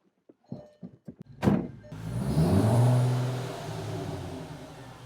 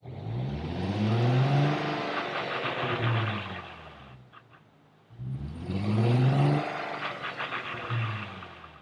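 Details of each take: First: 2004 VW MK4 GTI 6-speed manual, previously whining badly on deceleration in 3rd; after installing a washer fix, engine fires after a few clicks and settles into steady low hum with no gear whine, quiet transmission. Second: 2004 VW GTI MK4, 6-speed manual: engine surging and easing off twice, droning gear whine swelling on deceleration; fixed with a washer install and transmission fluid change.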